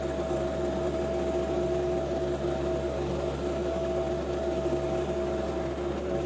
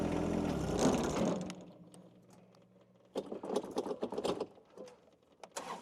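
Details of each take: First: John Deere 2025R compact tractor powering a Tarter RT205 rototiller, repaired after top-gearbox oil loss seized the gears. It is tilling garden soil with sawdust and ash, recorded from a tripod. Steady, even drone and constant hum under load, no knocking, grinding or whine: normal tilling. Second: John Deere 2025 compact tractor driving a Tarter RT205 rototiller via PTO: engine runs briefly then dies within a second and a half, leaving clatter; the tiller drive binds and stalls it, later traced to gears seized after the top gearbox oil leaked out.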